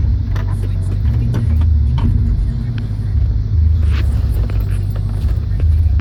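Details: Dodge Dakota R/T: deep steady rumble with a few faint scattered pops every couple of seconds; intermittent popping, source not identified.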